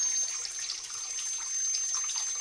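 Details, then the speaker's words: Old Grohe Grohmix thermostatic mixer tap set to 50°C with instantaneous boiler: thin steady high whistle over running water, before cartridge disassembly. "elle siffle énormément donc on va passer à l'étape suivante"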